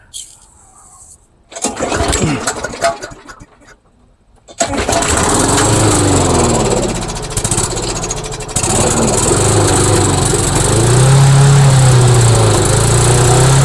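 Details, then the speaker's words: Rebuilt trash-find MTD lawnmower single-cylinder engine, fresh oil, started on brake cleaner, oil burning off: catches after pulls, then high, fast hard drone; overrevving, governor not controlling speed, tab to be tilted back. "And as you can hear, the engine is revving a little bit high. So I'm going to tilt that tab a bit back so that the governor can get a little bit more control of that engine."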